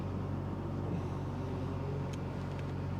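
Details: Chevy Trailblazer that came in as an intermittent no start with gauges dropping out, restarted after a ground fault was fixed and codes cleared: quiet, steady low idle hum with no stumble or surge; no check engine light.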